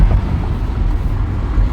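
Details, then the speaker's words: 2013 BMW X3 test drive at 55 mph after control arm and strut replacement and tightening a loose front right sway bar link: steady road and wind rumble, no clunks, knocks or rattles; suspension quiet. "So far, no noise. No noise at all. 55 miles per hour and that's what's to right now."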